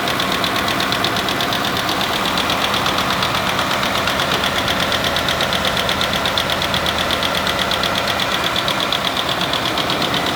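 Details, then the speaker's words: 2019 Ford F-150 5.0 direct-injected V8 idling with sharp rapid ticking, lifter/rocker tick traced by stethoscope to driver's side left bank; suspect rocker failure, repaired without pulling timing chains. "Today we have a 2019 Ford F-150 that's exhibiting some of the telltale signs of lifter tick."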